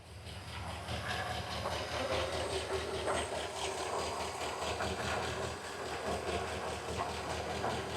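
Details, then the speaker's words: 1963 Pontiac Star Chief V8 started stone cold, distributor just adjusted, no thermostat fitted: steady, even idle with smooth low rumble and no stumble, sounds different and now firing on all eight cylinders; normal idle. "I think it's finally running a all late yeah it sounds way different yeah I do believe it's running on all eight now"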